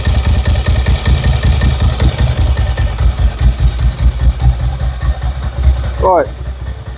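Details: 1990s air-cooled Ducati SS/Monster with Mikuni carbs, first start after Dynojet kit fitting, cold on choke: even, steady low thump at fast choke idle with no misses or stumbles; running healthy while warming.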